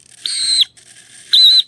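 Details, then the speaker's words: Savox 1256 servo in a Nexa Fokker D-7 RC plane, new but stored for years, gives two short high piercing squeals each swing; servo motor bushing dried out from sitting, needs a drop of oil. "when I move it you hear that squeal that is hard to see but right here is the motor that drives the servo and right at the very bottom of is a little tiny hole uh where the uh the bushing the motor bushing and it's just dried out from sitting"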